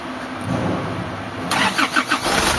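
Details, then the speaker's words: Isuzu 4JB1 diesel after injector repair/calibration and crankshaft sensor replacement, previously hard starting: short crank, starts on one click and settles into firm idle; hard starting fixed. "one click na lang one click one click na h na kagaya kahapon na naghihingalo okay na to"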